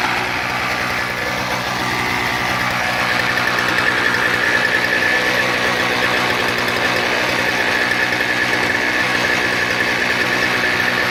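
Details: Toro CCR 2000 snowblower with a 1990s Suzuki 4.5hp two-stroke and Mikuni carb, after fixing a broken ignition-coil wire and a blocked pilot jet screw; primed, choke open, runs a buzzy, fast, slightly uneven but steady beat without dying.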